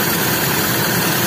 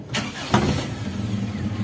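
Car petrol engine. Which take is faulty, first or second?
first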